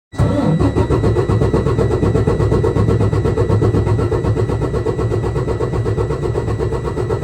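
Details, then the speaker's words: Detroit DD15 diesel after valve adjustment (intake valves were very tight, exhaust fine): quick, even cranking about four pulses a second with steady compression strokes; cranking speed noticeably higher than before the adjustment. "okay guys so you're going to notice number one the cranking sounds different the RPM speed or engine speed is definitely higher different than it was before"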